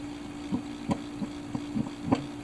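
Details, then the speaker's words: Mid-1950s Airline portable tube record player after amplifier repair, playing a record: constant low hum with irregular scratchy ticks on top. The cartridge is worn out and needs replacing. "alright so that's pretty crappy so what that's telling me I'm gonna shut this off is that the cartridge here is shot"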